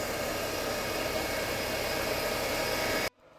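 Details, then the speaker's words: 2011 Mercedes-Benz W212 E350 V6 idling after serpentine belt tensioner replacement, the old tensioner having been off its plane: steady, even idle with a smooth hiss and no chirp, squeal or rattle from the belt drive, now healthy. "Now, we're going to start the engine to see if that noise is gone. Okay, so it looks like that was the issue. The tensioner was off the plane."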